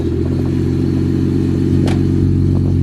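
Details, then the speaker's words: Nissan Skyline R33 drift car cold start, with a fuel additive in use: engine settles into a steady, even fast idle with a firm low rumble, no misses or knocks; cold start reportedly much improved after someone fixed it. "Alrighty, so massive thank you to Lee. He actually fixed up that cold start a hell of a lot."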